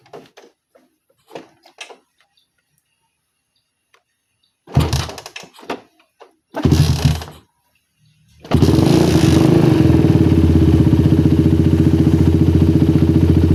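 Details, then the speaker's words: Motorcycle with a well-tuned PWK34 carburetor and its normal choke. After handling noise the engine settles into a steady, even idle with no misses, like a stock carb. Normal idle. "Nah ini IDnya udah bagus banget yaabil banget udah kayak Idal karbus standar enak banget didengar"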